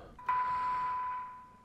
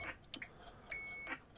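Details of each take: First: Formac 120 AM/FM CB radio on channel 1 low band, 1 kHz test tone injected at reduced RF input: clean steady tone with little hiss, very sensitive receiver; no further receiver alignment needed. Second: Formac 120 AM/FM CB radio, just fitted with UK40 offset board and aligned on frequency: sharp clicks then a steady high beep about a third of a second at transmit key-up, not normal; suspected from a previously fitted bleep unit, being reverse-engineered.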